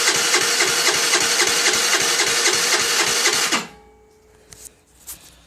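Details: 2008 Baotian Tanco 50cc four-stroke scooter: fast, even cranking at about four strokes a second for several seconds, then stops without firing; hard starting, sometimes taking many minutes to start.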